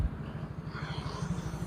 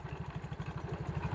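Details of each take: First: Mio GT scooter after replacing worn rollers and damaged CVT parts, which had caused clatter and power loss: a steady, even engine pulse with no knocking from the belt drive; the CVT now runs clean and quiet. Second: Yamaha Mio GT scooter with harsh clatter and badly reduced power: quick low clatter, about twelve knocks a second at idle, from the CVT as the rear pulley visibly wobbles; worn rear CVT pulley.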